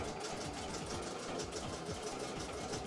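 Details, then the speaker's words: Embroidery machine filling in blue on a test design before going out. Fast, even needle chatter with a light rattle on top, holding a steady pace. Normal stitching. "but see it's just filling in the um the blue there slowly but"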